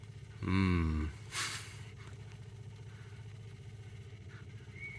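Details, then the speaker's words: MGB off the road for 28 years, during an attempt to run it on its own petrol supply: the electric fuel pump ticks steadily and fast with no change in pace. It is clicking without delivering fuel, sucking air through a cracked inlet pipe. "all right let's see how this goes fuel pumps clicky"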